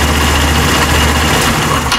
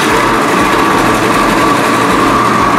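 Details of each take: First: Italika WS-150 single-cylinder motorcycle after crankshaft, bearing and magneto repair: quick, even chatter at steady revs with no knock or rattle, engine noise gone and normal running; it still smokes white, and a ring kit is planned. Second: Italika WS-150 motorcycle brought in because it wouldn't start; once running it idles steadily with a high, rough mechanical rattle under the exhaust note, described as sounding horrible, indicating worn crankshaft main bearings with play.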